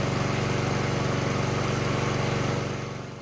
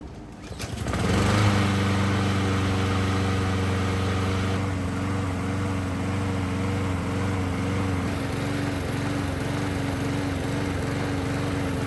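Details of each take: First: Honda-type small single-cylinder engine about 3 minutes after start, choke open, idling smoothly with no surging after the clogged pilot jet was cleaned; before the fix it sputtered and surged once the automatic choke opened. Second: Small engine (Honda-type with pilot jet) starts, then spits, sputters and surges as the automatic choke opens, from a clogged pilot jet.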